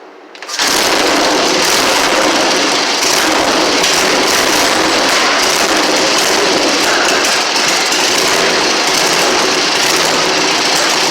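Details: 1960 Harley Ironhead Sportster V-twin, first kick start in 10 years after sitting since 2010, with the magneto serviced and fresh gas: fires within a second and settles into a loud, steady, even run with no misses; normal running.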